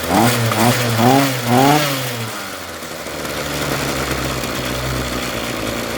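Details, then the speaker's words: Ryobi RY251PH two-stroke trimmer after fitting a new carburetor kit and two fuel hoses: several crisp throttle blips, then a steady idle that no longer dies. Normal running. "it's running yay it's not shutting off thumb up that was easy repair"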